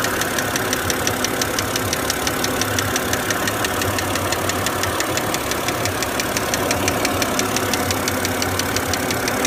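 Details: BMW engine at idle with a sharp, regular metallic ticking knock of roughly three per second, an internal engine knock.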